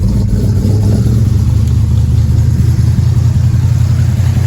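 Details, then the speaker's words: Big-bore small-stroke 350 V8 with Rochester 2-jet carburettor and cast iron intake, cold start after three pumps: deep even rumble swelling smoothly with throttle, no knocks or misses; idle slightly rough when cold. Normal cold start and revving. "So it does sound pretty good. Idle's a little rough when it's cold, but not terrible."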